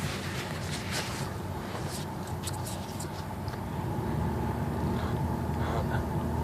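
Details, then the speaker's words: 2000 Chevrolet Astro Van after blower motor replacement and repair of a melted resistor pack connector, on face vent at medium-high. Steady, even fan rush over a low hum with no rattle, tick or squeal; the blower runs smoothly. "I guess that's high medium that works and high if you can hear it it's working working good"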